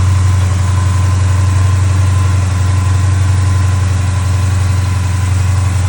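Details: Dodge Challenger Hemi after replacing worn noisy accessory pulleys and reinstalling the serpentine belt: steady, even low rumble at idle with no rattle or chatter from the belt drive; engine runs smoothly.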